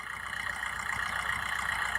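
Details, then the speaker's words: Used car engine checked at idle during a pre-purchase inspection in India: even steady idle with light regular valve tick, no knocking, rattle or belt squeal; only slight belt sound, engine judged normal. "जैसे ही देखोगे इसमें किसी तरह का कोई आवाज नहीं है तो इतना बेल्ट की आवाज कम प्रेशर की आवाज है"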